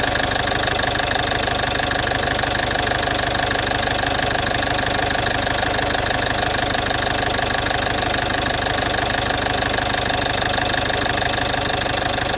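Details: Citroën C5 2.0 HDi 100 kW diesel, loud steady idle with fast even tick about three per second over the clatter; source unknown, owner suspects injectors; injectors, piston rings, valves and valve seals redone 15,000 km earlier.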